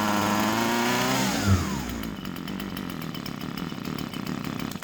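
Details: Husqvarna 136 chainsaw that came in as a no-start, after carburettor screws set about a quarter turn out: catches with a high rev, then drops to a quick, even buzzing idle with no misfires or stumbling; runs healthy.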